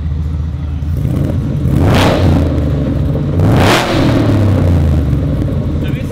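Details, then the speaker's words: 785 hp 1979 Ford F100 "MF79", somewhat warmed up, on changed exhaust replacing the big boom tubes: two deep revs swell and fall back to an even, lumpy rumble with no knock or tick; it sounds loud, mean and healthy. "pretty [ __ ] loud yeah it gets grumpy when it needs to I like it that has a lot better sound though to it"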